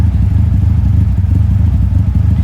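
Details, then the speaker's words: 1971 Toyota Celica TA22 2TG after fitting a new stainless exhaust without the old whistling tip: a deep even rumble with steady firing pulses, no whistle or rattle; exhaust sounds healthy, carbs not yet synchronized. "also this got rid of that whistling sound it had due to having that exhaust tip before that sounded like some sort of a whistle now just browse like it's supposed to"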